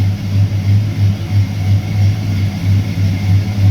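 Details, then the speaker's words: 1996 Ford F150 with 302 V8, at idle after crank position sensor replacement: low idle with a regular rise and fall about three times a second, a noticeable lope, possibly a bit more cam lope now; cause not confirmed, truck has had throttle hanging high then dropping. "sounds like it may have a little bit more lo from the cam now."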